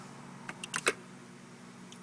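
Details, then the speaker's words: 2005 Chevrolet Corvette C6 automatic with shifter stuck in park, after fix; a few quick, light clicks in quiet cabin as shift lock solenoid engages with brake and accessory button; working normally. "you hear the shifter lock click so now let's move the shifter cannot move I pushed it forward you hear the little click"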